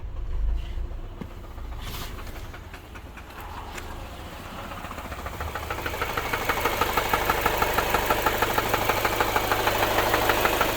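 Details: Subaru petrol engine idling with a steady, even knock of about three beats a second; engine knocking at idle.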